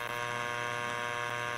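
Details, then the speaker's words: Church cross LED strings with a dirty Hanley switch-mode driver, heard as radio interference on 160m in AM mode: a steady harsh 60–120 Hz mains-rate buzz. It comes from the AC side of the switching supply, not the PWM controllers; replacing it with a Mean Well unit eliminated it. "when i listened to that sound again um you know it kind of really had that sound more like a 60 hertz bass uh frequency"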